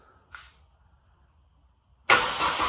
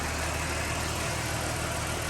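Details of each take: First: Ford BF XR6 Barra engine newly swapped in, first start attempt: starter turns steadily at about 200 beats a minute for seven seconds and never catches, battery sounding weak. Crank-no-start; owner suspects the MAP sensor, a different part number. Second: Ford BF XR6 with swapped-in Barra engine, first start after fully plugging in the half-connected ECU plug: briefly rough, then a steady, even, quiet idle with no misses or knocks; normal idle.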